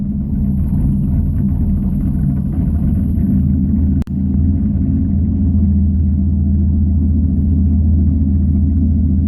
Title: Rough idle